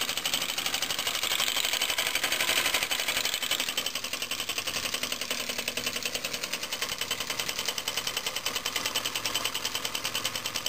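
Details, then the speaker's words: Homemade compressed-air engine from scrap, copper pipe cylinder, run from a compressor at pressure raised above about 5 psi: fast, even, steady light ticking, quieter now that the valve stops groaning; running normally. "activity drink up the pressure a little more get it going a little faster it gets a little quieter actually because the valve stops"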